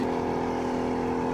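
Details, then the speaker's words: 1987 Johnson 40 hp outboard that sat two years. At wide throttle it drones at a flat pitch and never reaches full revs, running on one cylinder; a flashlight test confirms the carburetor bowl's high-speed jet is clogged. "yeah that ain't Full Throttle but that ain't going nowhere so we'll get to the bottom of this just as I suspected here's the bowl I guarantee that high speed jet in there is all cloggity wobbly"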